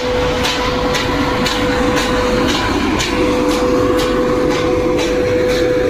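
Steady fan roar with a sharp tone near five hundred hertz and a regular tick about twice a second; something abnormal, cause unclear.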